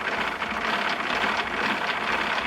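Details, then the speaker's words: Craftex CX13HC 13-inch helical planer: gritty rasping grind with fast ratchety texture while cranking the head down; owner suspects poor-quality bearings; unconfirmed. "you hear that [Applause] bearings aren't exactly what you would call Top Notch again it's still a good machine but I'm leaning more on the DeWalt than anything else"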